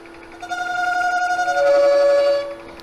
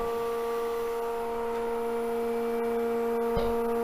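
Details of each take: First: Wood lathe at about 500 rpm, negative-rake scraper trimming a bowl on a vacuum chuck: steady hum with a ringing, singing tone during the cut; tool chatter from vibration, reduced by moving the rest closer. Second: Wood lathe at very slow speed with a bowl held on a vacuum chuck at a little over 20: steady, even motor hum with no knocking, rubbing or wobble; the bowl is spinning true.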